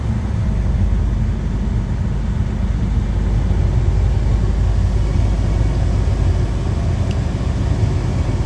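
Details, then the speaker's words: Truck in pre-trip inspection, diesel held at about 1000 rpm to build air to 100-125 psi: steady deep rumble with faint click near the end as the air governor cuts out; normal air build-up to governor cut-out. "and you may be wondering well how will i know when the air governor kicks out it's a distinct sound you hear it go which it just kicked in and did that so we're good to go"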